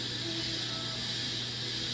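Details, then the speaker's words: Double-sided polisher after rebuild, down-force test in auto mode, targeting 34.65 psi air pressure: steady airy hiss with faint ticking as the main cylinder lowers evenly. Normal operation. "I'm coming down with Justin. Okay, the main cylinder is lowering."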